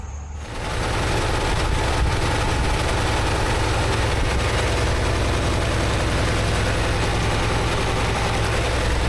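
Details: 1964 International Harvester Travelall C1100 during ongoing fuel system work, coolant temperature being watched: heavy uneven, lumpy idle at about 3.5 pulses per second; rough idle, owner cannot pin down the cause.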